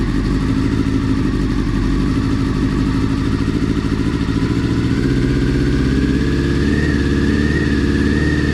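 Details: Honda CBR400RR NC29 barn-find bike, first start during restoration for an Isle of Man road race; steady smooth four-cylinder buzz, then a clean light rev, WD-40 burning off. Normal running.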